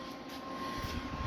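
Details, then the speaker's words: GZ Guozhi MIG 200P multi-process welder on a 110 V outlet through the supplied 220-to-110 adapter, powering up: a steady fan rush with a faint hum rising slightly. The lights come on and it runs normally. "now that I've got power hooked up, let's see if the machine will start up. And it sounds like it's operating."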